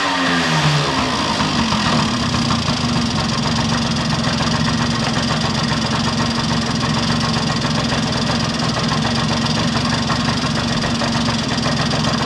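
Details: 1971 Yamaha Mini Enduro two-stroke after carburetor cleaning; fires after a brief crank and settles into an even, steady idle with no misses or surging, muffler refitted with its washer O-ring. Normal idle, running healthy.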